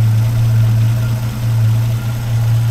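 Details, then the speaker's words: 1961 Rover P4 after swapping 60-year-old Bakelite plug caps for rubber boots from a 1967 P6, fast idle backed off: deep, steady, even idle with no misses; smoother exhaust note, normal idle. "Got fast idle out a bit there. That sounds great. I'm really pleased with that."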